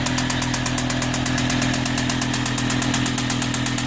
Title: M6 Engine Knock